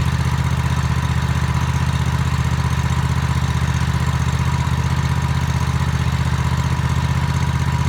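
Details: Toro TimeCutter MX 4200 zero-turn mower, previously running rough, right after replacing both ignition coils: steady even low idle thrum with no hunting or surging; coil replacement fixed it.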